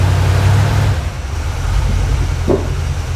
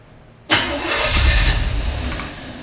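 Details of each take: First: 1980 Camaro 2nd gen, freshly built Chevy 5.7 (350) V8, idling indoors while being backed off stands: deep, steady, slightly lumpy rumble, no knocks or ticks. Normal idle; an oil leak near the transmission inspection pan was found afterward. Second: Chevy 5.7 SBC in a 1980 Camaro, first start, with the distributor turned to its maximum advance. It cranks briefly, catches hard with a sudden roar and runs rough; the owner says the timing is far too advanced.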